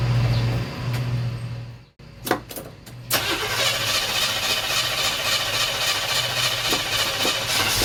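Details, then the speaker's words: 1977 Chevy C10 350 with Quadrajet 4-barrel, after new plug wires and carb gasket for a vacuum leak, warming up: cranks, catches, fast idle with uneven pops, less than before; owner suspects sticky valves loosened by Sea Foam. "well as you can see it's still kind of popping there a little bit but it's not doing as much as it was"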